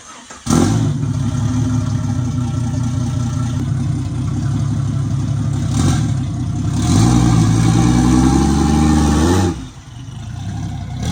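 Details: Turbo Jeep XJ that will not run right: it cranks and catches, then revs unevenly and stumbles, rising and dropping unsteadily. It is running rough and the cause is not yet identified.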